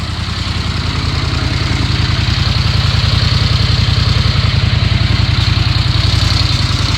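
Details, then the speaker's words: 1982 Honda Silver Wing GL500 warmed up after intake manifold repair, coolant leak fix and carb cleaning: steady, even low putter at idle with regular beat, no misses or knocks, no leaks; purrs and throttles well. "it purrs like a kitten once she gets warmed up she uh throttles just like you want her to"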